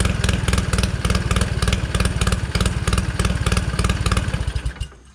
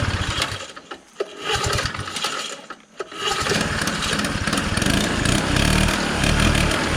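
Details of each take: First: 1969 Polaris Colt 303 Wankel rotary snowmobile, restarted after years sitting: quick even popping exhaust beat, about four pulses a second, then cuts off; normal running. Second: 1969 Polaris Colt 303 Wankel rotary snowmobile, sat for years, after a fuel mixture adjustment: sputtering, then it catches and the note changes, filling out and revving freely as a mouse nest blows out of the hot exhaust.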